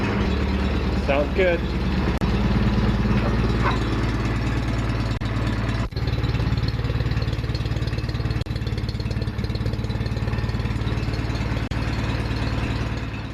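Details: John Deere 316 garden tractor after full restoration and repaint: even, steady engine beat at a settled idle with no knocks, misses or rattles; normal running.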